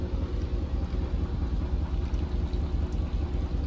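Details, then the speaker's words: Whirlpool WFW6620HW washer spinning after its drain pump filter was cleaned to fix poor draining and an error code: steady low rumble with an even quick pulse from the tumbling drum, no knocking or scraping; problem fixed. "and the water is being spinned out there you go very good seems like we fixed the problem"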